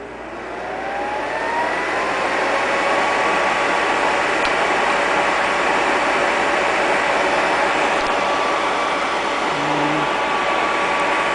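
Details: Vintage Lady Sunbeam hair dryer after being taken apart and cleaned: steady, even whir with no rattles or catches once it spins up; motor runs smoothly and sounds healthy.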